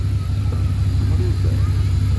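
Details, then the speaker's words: Abandoned Dodge Dakota R/T 5.9 V8 truck idling, burning off oil and probably about 5 years of crud; deep, steady idle rumble with even beat, no knocks, ticks or misses; sounds healthy, normal idle. "but yeah she sounds really healthy really good"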